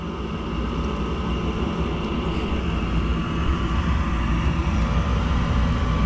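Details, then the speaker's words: Gas furnace with ECM blower switched by a 240 V coil relay sending 24 V: flame crosses quickly, steady roar of air and burners, no rattles or squeals; blower motor sounds good, normal operation. "Flame went all the way across real quick. We'll be able to hear when the blower comes on because of this relay."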